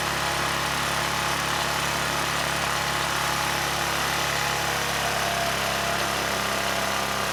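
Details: ETQ 2700-watt generator with brushless powerhead, after carburetor work keeping the original jetting: steady, high-pitched drone with no surging, 70 Hz with no load, still running fast with governor spring tension fully backed off; overspeed from misadjusted governor.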